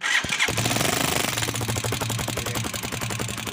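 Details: Italika FT150 single: the centrifugal oil filter nut came loose and broke the cover, and the oil pump is not lubricating, leaving the engine dry. After it fires, dry metallic ticking clatters about four times a second. Oil starvation.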